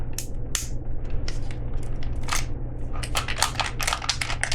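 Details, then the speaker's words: Hand-crank, solar-panel emergency flashlight unit from a subscription box, shaken: irregular bursts of light clicking; something loose tumbling inside, exact part unknown. "I have no idea what's rattling around like that. I'm quite certain it's not supposed to do that."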